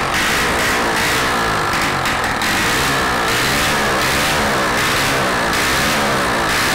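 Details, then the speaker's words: Rebuilt Honda Biz 100 engine test-run on contact cleaner with no exhaust fitted: very loud, crisp, rapid firing that revs cleanly, with no connecting-rod knock from the bottom end. It runs perfectly. "Teste realizado com sucesso o motor funciona perfeitamente adicionando um pouco de limpa contato ele entra com o oxigênio e faz a queima e explodindo tudo tá sem o escapamento Por isso faz bastante barulho"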